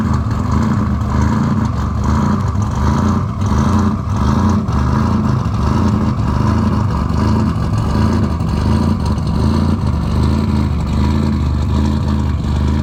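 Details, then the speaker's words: Car after installing RJC V-band exhaust gaskets, exhaust leaks fixed: loud, deep engine running and revving smoothly, no puffing or ticking from the exhaust; sounds tight and healthy. "all right guys as you can tell we got it running she's running can y'all hear it can you hear it is it loud you like that sound okay yeah we like that sound see we like that sound when things are working well and fixed"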